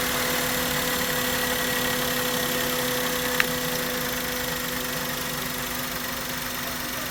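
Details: Maruti Suzuki K-series car engine after coil and spark plug work for a misfire: steady, even idle with smooth hum and no stumble or misfire beat; running cleanly.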